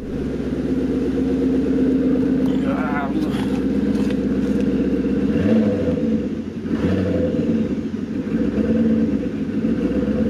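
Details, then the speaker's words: Maserati 3200 GT twin-turbo V8, throttle blipped: revs rise and sag unevenly, idle hunts and won't settle, engine stumbles on light throttle and doesn't seem to run on all eight cylinders; sounds like a misfire. "chúng ta nghe thấy rằng sau Khi nhấn ga nhẹ nhất, xe không tải khó ổn định và đặc biệt là khi đạp mạnh vào bàn đạp , động cơ sẽ khập khiễng một chút khi bạn chạm vào ga một chút, mặt khác, nó không chạy bằng tám xi-lanh."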